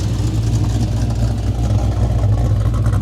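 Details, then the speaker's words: Oldsmobile Cutlass with small block Chevrolet V8, first drive after months of build work: deep, loud, even V8 rumble, steady beat, no knocks or misses; a broken valve spring was later found after the test drive. "Listen to that thing, man. It's been a long time coming to finally be able to drive this car right now."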